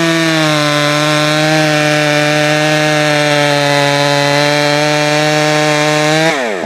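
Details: Jonsered 525 chainsaw, freshly fired up and tuned: steady high scream, then revs sag and stumble as the throttle is dropped; hesitation off throttle shows it is too lean on the low side, so more low-side fuel is given.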